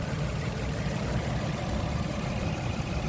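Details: 2003–2009 Toyota Sienna V6 at idle with a broken main fuse temporarily bridged by a bottle cap: a steady, even low rumble with no stumbles. The engine keeps running with the battery negative removed, showing the alternator is charging.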